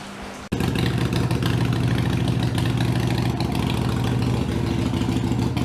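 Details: Harley-Davidson Iron 883 before booster setting to reduce engine heat: fires up and settles into a steady, deep, lumpy V-twin idle with even pulses and no knocks; running fine.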